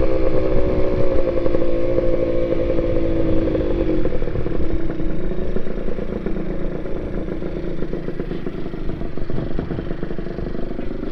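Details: NSR80 two-stroke after head gasket replacement, main jet 145→140 (slightly rich, kept for safety): steady rattling run, brief higher rev then settling lower, no misfire or knocking; running fine, mechanical seal still leaking from weep hole.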